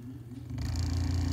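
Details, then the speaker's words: 1908 General Electric BMY fan motor with front and rear bearings, temporarily wired: low hum and rumble with rough buzzy edge under power, gone when power removed; bad bearings, to be replaced with new-made bearings. "you hear that noise in there take the power off and the noise goes away this is bad bearings in this motor"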